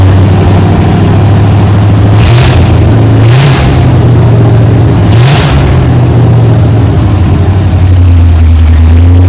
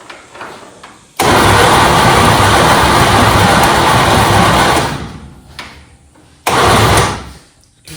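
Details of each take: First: Junkyard 1969 Chevy C10 small-block V8, new down pipes, no mufflers yet, idle set somewhat high: deep loud rumble rising and falling through blips with no rattle; normal revving. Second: Junkyard 1969 Chevy C10 small-block on a jump wire: cranks hard for several seconds with even churning, then a short second crank, and never catches despite good spark. Cap later found loose.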